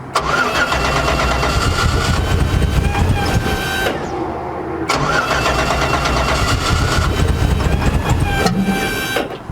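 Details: 1959 Chevy Apache, with the fuel pump audibly running: two long bursts of steady starter cranking, about four seconds each, with no firing; owners suspect fuel is blocked somewhere, cause not confirmed.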